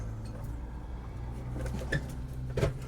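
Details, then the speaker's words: Stryker toy hauler after replacing failed transfer switch, trailer plugged into shop power, mic aimed at switch; over low hum a microwave beep, then a dull thunk half a second later: transfer switch engaging normally. "I heard a thunk. I heard a microwave beep."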